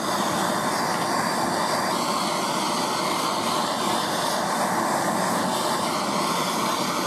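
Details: Heat gun or torch gently warming a P2 Morse taper lathe live center during rebuild (not red hot) to ease fitting a part; a steady, even roaring hiss without surges or sputters, running normally.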